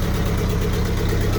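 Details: M38A1 Jeep after restoration with 90% of the exhaust system replaced, heard at the tailpipe: low, steady, even idle with a soft exhaust note, no blowing, ticking or rattling; exhaust tight and quiet, normal idle.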